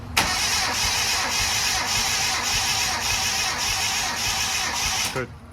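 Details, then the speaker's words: 1000HP Mitsubishi engine, not yet started, rings unseated, jumper-cabled starter: even steady cranking beat of about three pulses a second, no hesitation; first compression reading 120, up from 100. "so this is just letting me know that all the cylinders have compression but cranking it over it sounds good doesn't sound like honey Dead song"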